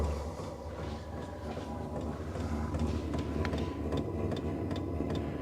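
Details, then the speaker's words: New Vevor diesel air heater starting up, outlet around 91–93 degrees: steady light ticking, two or three per second, from the fuel pump over a rising fan rush and hum, quieter once running; normal fuel pump ticking. "You hear the clicking in it. And then you can hear it starting to make the noise. It's ramping up. It does get quieter once it gets going, but it kind of hums a little bit as it's starting off."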